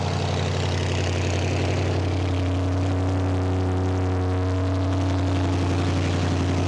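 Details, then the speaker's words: BMW N63 twin-turbo V8 after catalysts removed and downpipes fitted: deep, steady idle with even low burble and no ticking or puffing at the joints; joints sealed, no leaks. "არაფერს არ ეპარება, ყველაფერი კარგად არი. რა მაგარი ხლა კარგი ხმა აქ, მაგრამ მეშვიდე სერიას არ უხდება ესეთი ხმა"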